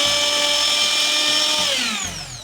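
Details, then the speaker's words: Mixer grinder motor after motor bush replacement, tested with carbon brushes refitted; a smooth, steady high whine without vibration, winding down evenly once switched off, running normally. "தென் ரொம்ப vibration இல்லாம சாஃப்டா ரொம்ப கரெக்டான சவுண்டோட சுத்துது so எந்த ஒரு இஸ்யூவும் இல்லாம நம்ம இதை சரி பண்ணி முடிச்சிட்டோம்"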